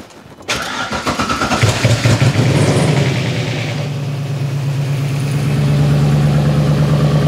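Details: Porsche 986 Boxster with a swapped V8 cranks, fires and settles into a steady, even idle after belt slipping and power steering fixes and dry-bleeding the pump; the earlier belt squeal and pump noise are gone.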